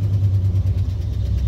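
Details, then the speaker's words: Truck just after replacing the crank position sensor (code found by scanner): deep, even engine throb at idle with a steady low pulse, no misses or knocks; still shakes slightly but sounds much better, fixed. "That definitely fixed it. Still kind of shaking around a little bit, but man, that sounds a lot better."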